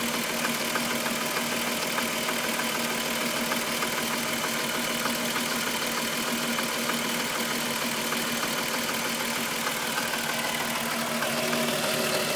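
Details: VW Golf VR6 2.9, 103,000 km, steady idle: a thin metallic swishing rattle on top, no speed change. The owner's chain-like rub grew louder after replacing the upper hydraulic tensioner screw. Consistent with timing chain rubbing its guides.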